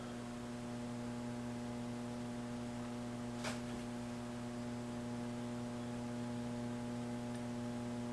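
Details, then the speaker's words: 1959 Blaupunkt Verona valve radio under restoration, slowly powered up on a variable supply, FM band around 41–60 volts drawing 140 mA; constant low buzzing hum with steady overtones, no programme: mains hum, cause not yet found. "Et là, ça devrait... on entend déjà un hum, là, ce qui n'est pas bon signe."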